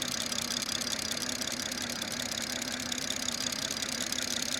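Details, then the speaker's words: BMW B58 idling in UK winter with the plastic engine cover removed for a PCV test: fast, even direct-injector ticking over a steady idle, now much louder with the cover off; normal injector noise, engine healthy. "Now you would have noticed that my injectors are now 100 times louder. I can barely hear myself talk,"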